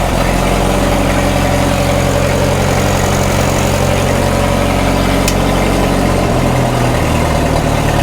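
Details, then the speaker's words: 1936 Caterpillar Twenty-Two tractor, first run after sitting for years and after a non-sparking magneto: a slow, even low chug at its slowest low-throttle idle with no knocks or rattles, and 35 PSI oil pressure noted. Healthy normal idle. "actually doesn't sound too bad. Yeah. Now we're running 35 PSI oil. That's good."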